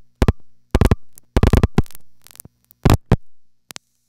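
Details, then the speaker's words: Museum No. 1 crossbar switch with the direct 832 trunks busied by busy plugs: short bursts of rapid relay clatter over about four seconds as the marker finds them busy and route-advances to an alternate trunk group via the panel office. "this means 832 calls can't get through by the usual direct route but that's no problem because the marker recognizes the altrunk's busy condition and performs a route advance to another trunk group that's specifically been set up for this purpose"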